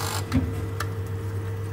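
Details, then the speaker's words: Baxi Combi 133HE Plus boiler with no central heating, room thermostat linked out: sharp crackling snaps at ignition over a steady low hum, then the burner drops out. Arcing at the control board during ignition. "it came from the board and the burn has gone back off again"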